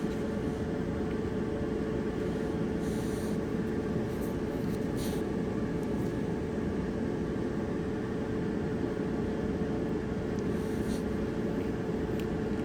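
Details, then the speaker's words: Clothes dryer drum turning after the worn roller that caused a wobbling noise was replaced: a smooth, even rumble and steady hum with no wobble, knock or scrape. Normal drum rotation. "okay here's the before sound before the roller was replaced and here's the after sound after the roller is replaced"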